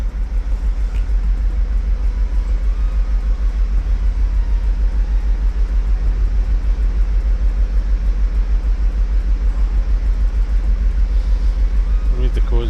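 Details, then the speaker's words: Mercedes Sprinter diesel van during injector replacement and coding, injectors recently unplugged; strong, regular lumpy beat about three pulses a second with pronounced shake, running really lumpy on cylinder number two; rough running. "it's just running really lump at the minute that same cylinder number two"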